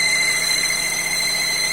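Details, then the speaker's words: Chevrolet Cruze with a whistle from under the hood at highway speed, at idle: steady high-pitched whistle resembling a slipping alternator or power-steering belt. "Вот и сразу же мы слышим звук. Звук очень похож на ремень генератора, либо ремень ГУРа."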